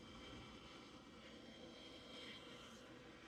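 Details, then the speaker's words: Zacme stand mixer with DC motor, still cold after timed kneading cycle; soft steady whir continues after mixing stops and ends when power is switched off; owner thinks it is the internal cooling element; normal cooling fan run-on. "I wonder if that's the cooling thing that's inside that I'm hearing. Interesting. I should have been filming, but I turned the power off to see if it would turn off that sound, and it did. So I think that's the cooling element in it that I was just hearing."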